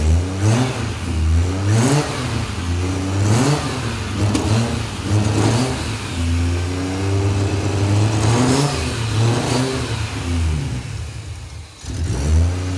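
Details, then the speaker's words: 1984 Ford Falcon XE wagon, turbo Barra engine with Haltech Elite 2500 ECU, first start: repeated free revs with a raspy, slightly uneven exhaust note, noisy, blow-off valve moving; likened to an RB with a Power FC. "sounds like a rb with a power fc [Music] it is a bit raspy"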